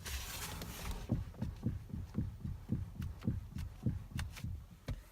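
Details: Toyota Avensis: dull low thumps roughly twice a second, unevenly spaced, while the steering wheel is turned; knock somewhere in the steering, cause not pinned down.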